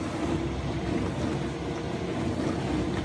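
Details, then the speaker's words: Newly installed Frigidaire dishwasher circulation pump (154844101/154844301) after replacement, water on, no leaks: strong, steady powerful hum with water churning, no grinding or rattle, then spraying; normal circulation pump operation. "Just gonna see if it works. Whoa, that sounds powerful."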